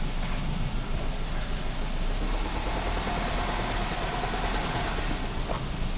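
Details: 2009 Pontiac Vibe 2.4L petrol engine running with a fast, steady deep rod knock at idle, before engine replacement.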